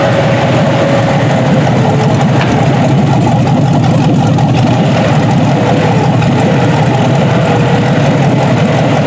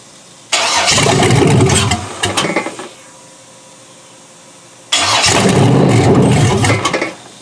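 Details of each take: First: Junkyard 6.0 L Chevrolet V8 from a 2002 Chevy truck pulled from a mud hole (no water in oil), first test run on a test harness. Even, steady deep idle rumble with no knocking or misses; normal healthy idle. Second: Junkyard 6.0L Chevrolet engine from a 2002 Chevy truck, pulled from a mud hole (no water in the oil), first start on a temporary test harness: fires and roars about two seconds, sputters and dies, catches again, fades out. Keeps stalling; owner suspects fuel starvation.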